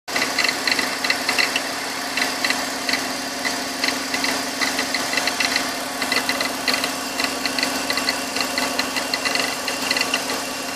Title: Bmw X3 E83 2004 M54B25 Gurgling Sound - Operating Temp